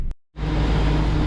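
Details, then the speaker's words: 2500 Suburban V8 (codes P0115 P0118 P0174 P0622), cold day, idling just over 1,000 rpm after alternator replacement: brief dropout then smooth, deep, even idle, previous misfire and shaking gone. "so this thing's been running for I don't know 5 minutes and so far it seems like it's idling fine we're not getting the weird misfire and the whole thing shaking like like it was and uh it sounds healthy sounds like a healthy 60"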